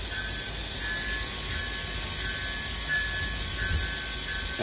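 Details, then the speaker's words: Bachmann/Life-Like pancake-motor model locomotive running with a homemade gear fabricated from RC gears in the gearbox: steady even whir, faint intermittent high tone, less whine than the original. Finding: smooth running gear train. "it's in the gear box hear that sound something pretty good actually sounds really good being a different material is going to naturally have a different sound to it and what I'm hearing is it doesn't whine as much doesn't have that high-pitched tone to it"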